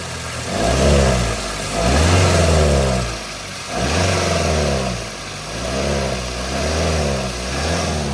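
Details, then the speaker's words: Toyota Avanza at 300,000 km: blipping the throttle brings a hollow intake roar that swells and fades with revs, coming from the faulty air filter, which is to be repaired. "Ini kalau digas juga gerung dari filter udaranya, ini nanti kita perbaiki juga."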